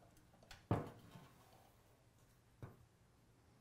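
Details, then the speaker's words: Early Ford Falcon horn wired straight to the battery and grounded to its chassis: only a few faint isolated ticks and no tone. Adjusting the center contact point changes nothing, so the horn is probably worn out. "You get a little bit of a tick out of it, but when I mess with the center point here, it doesn't change anything. So I feel like we probably have one that's just done in."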